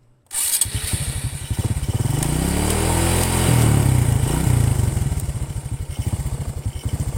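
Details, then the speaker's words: Honda Karisma motorcycle test after an engine overhaul: fires at once, revs up smoothly and falls back to a steady, even idle with no knocks or rattles; engine sound stable, ready for delivery. "Oke saya rasa tidak ada masalah untuk unit ini sudah benar-benar ready untuk suara mesin tetap stabil"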